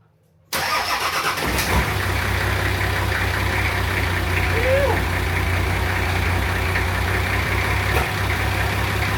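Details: Diesel Patrol first run after fitting a new 270hp injection pump, front-mount intercooler, performance exhaust manifold and turbo core; it catches at once and holds a smooth, even idle with a steady low rumble and no knocks or hunting. Normal start and idle.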